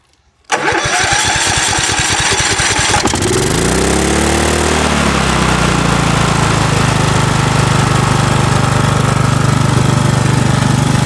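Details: 2006 Cub Cadet LT1045 riding mower, 20 years old: short crank, then runs straight up to a fast, steady idle that never drops; high idle, governor suspected, tried bending the tab.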